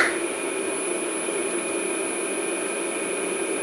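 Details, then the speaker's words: Original 1941 Westinghouse 1 HP three-phase motor from a 13" South Bend lathe, after cleaning and new bearings, greased while running: steady even whir with a constant high tone and no knocking, rumble or grinding; bearings run smooth and quiet. "nice and quiet let those those bearings kind of get settled in there"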